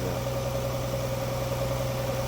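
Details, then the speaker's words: Infiniti G25, morning cold start after a cold night, long run on LPG, possibly high mileage: steady low idle hum with a slight uneven shake, no misfire codes; suspected weak compression in one cylinder. "але двигун Трішки підтряхує є таке що в одному циліндрі десь слаба компресія і треба це вичислити можливо зазори клапамів поміряти"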